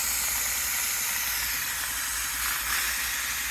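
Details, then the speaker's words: Shark Genius steam mop after replacing its bad water pump, set to medium with the water reservoir running low: pump pitter-patters as it builds pressure, then a steady even hiss of steam; normal steam output. "you can kind of hear the the pump working there it's kind of making a little Pitter Patter Pitter Patter and then that's how it gets its pressure then it'll start pumping out more and more as it gets built up more and more"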